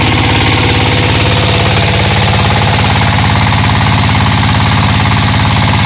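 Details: Single-cylinder diesel after camshaft gear timing re-set to fix misfire and backwards turning, run about a minute to warm up: steady even thumping at constant idle, no missed beats or knocks.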